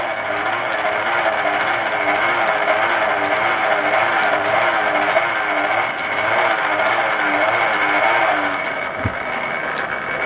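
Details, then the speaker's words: M Type treadle lathe turning an old Renault driveshaft in back-gear on a light finishing cut (about 5 thou): continuous gear chatter and whirr rising and falling with the treadle rhythm; dry, noisy back gears before oiling. "The noise you can hear is the gears engaging. I might put some oil on those, see if we can quieten them down a bit."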